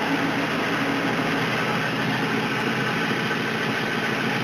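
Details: 1999 Mustang GT 2-valve 4.6 V8 idling with a busy, rapping clatter: rod knock after the engine was run low on oil.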